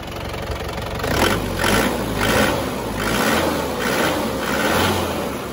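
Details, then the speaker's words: Isuzu Panther diesel after repair of worn piston rings, warming up: even, steady diesel clatter with smooth rise and fall, no misses or knocks, no smoke unlike before; normal idle. "Lihat, saat kita mencabut ini, mesinnya bersih; Tidak ada asap sama sekali. Ini berbeda dari kemarin."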